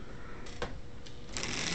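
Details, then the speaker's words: Lionel 602 Seaboard NW2 switcher running in reverse (won't run forward): quiet motor whir broken by uneven clicks and rattly bursts as play in the loose frame throws the gears out of mesh; a brown switch buzzes too. "that way run in reverse it's a little rough but it runs"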